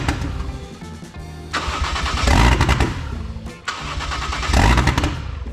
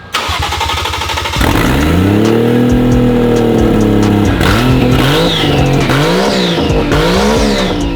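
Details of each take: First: 1JZ-GTE VVTi swapped into Lexus IS300, first start attempts: cranks and catches twice, rough and uneven a second or two, then dies each time; stalls because the MAF sensor is unplugged. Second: Lexus IS300 with a 1JZ-GTE swap running for the first time after wiring troubles; only the last 20% of throttle responds, suspected to need a relearn: catches and idles steadily, clean revs rise and fall with no knocks or misfires.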